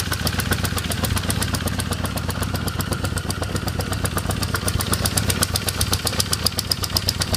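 A sharp, regular tick about four times a second rides clearly over the idling engine and stays steady throughout; source not yet pinned down.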